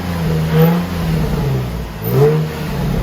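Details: Nissan 350Z stock VQ V6 after power steering bleeding: two quick blips rising and falling cleanly, no knocks, rattles or misfires; sounds healthy.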